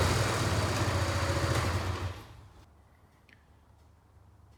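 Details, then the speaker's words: Kawasaki Bayou 220 barn-find ATV after carburetor cleaning, straightened racks, rear right wheel bearing, seal and drum brakes: single-cylinder revs crisply, then fades as the quad rides off; running really good, no issues. "well this thing seems to be running really good no issues that I can tell"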